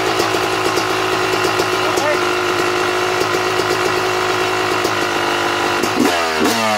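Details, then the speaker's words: Two-stroke dirt bike (YZ250/KX250-type, Mikuni/Keihin carburetor) idling as the air screw is closed down too far: raspy idle sags hard and nearly stalls; rich idle stumble. "all right now did you hear how the bike was trying to die off as i was closing the air screw down"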